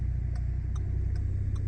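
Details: Crisp, even clicks about every 0.4 seconds over a quiet engine idle on a 2013 Ford Falcon FG XR6 Turbo, hazard lights tested after a head unit install; the hazard flasher is cycling normally.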